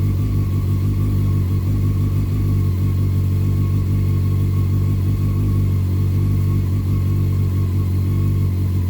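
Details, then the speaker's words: 2001 Honda CBR600 F4i after a valve adjustment and reassembly; it started once the headlight was plugged in, letting the fuel pump prime: the four-cylinder fires up and holds a smooth, even hum with no knocks or misses, smoking a little out the back. "okay well there was a pretty decent chance it wasn't gonna start at all so thank you to those who uh tipped me off online you gotta have the headlight installed for it to for the fuel pump to prime to be able to start it"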